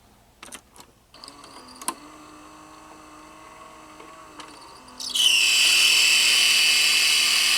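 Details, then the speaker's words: 1980s Hitachi VT-1370A VHS VCR with six-belt mechanism, cassette inserted: faint clicks and low hum from stalled motors, then loud steady high-pitched hiss-squeal from the worn loading belt slipping. "You can hear the motors are completely stuck and nothing's turning, and you can also hear the loading belt slipping."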